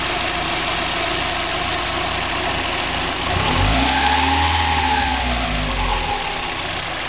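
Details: 1990 Mazda Miata at idle and through a quick blip: a light metallic rattle that separates from the hydraulic lash adjusters' tick on acceleration and deceleration. It persists on 93 octane, so probably not ping; the owner wonders about rod knock or a spun bearing. Cause unconfirmed.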